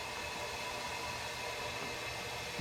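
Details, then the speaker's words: Diesel truck boost leak test with engine off, intake pressurized by regulator (20–30 psi recommended), test fitting also leaking: steady airy hiss of air escaping, won't hold pressure, likely through the bent intercooler with a big hole. "this one got some leaks so all you got to do like i said this one's got a intercooler bent in it so i'm sure it leaks all over the place but psi yeah you can hear it"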